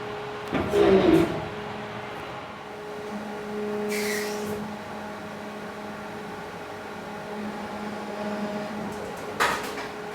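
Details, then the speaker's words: 99 US ton injection molding machine running production black boxes, after plastic was cleared from the mold: steady hydraulic pump hum under clunks of the mold opening and closing, no tearing or straining; normal cycle, tear-out gone. "Oh, that sounded a lot better. All right, let's try again. Yeah, no more tear out."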